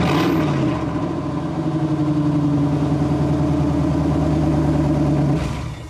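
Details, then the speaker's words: 1998 GMC K3500 crew cab dually, 454 (7.4L) Vortec V8, started right after the old rotted muffler was cut off: deep throaty rumble rising briefly then steady burble before shutoff; open exhaust, no louder than with the old muffler. "yeah i don't think that muffler was doing anything because it doesn't sound any louder to me"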